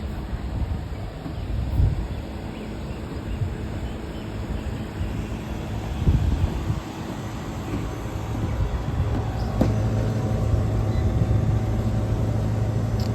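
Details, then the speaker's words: Walk-in cooler condensing unit outdoors restarting after power outage and delay: low steady rumble of compressor and fan, no knocking or squeal; drawing about 6 A against 10 A compressor and 2 A fan ratings, running normally. "it just turned on took an extra like minute or so from what i counted but that's fine so let's go check our amps"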